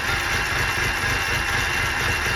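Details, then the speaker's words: 2011 BMW 328i xDrive, first start after engine swap with new manifold gaskets, front tires off: loud, busy, hissy uneven idle that surges and seems to want to die though rpm is okay; running rough, cause unknown. "uh sounds like it's getting worse like it's trying to die rpm is okay [Music] it's kind of surging running a little bit rough"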